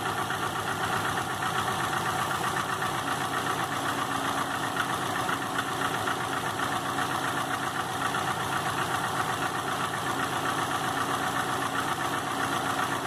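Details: 2005 Subaru Legacy GT rebuilt (refurbished block, new crank and bearings, used rods/pistons and heads) after spun rod bearings; warm idle oil pressure 22psi, new plugs, no exhaust leaks, used VF40 turbo: light regular tapping about four per second at idle, cause unknown.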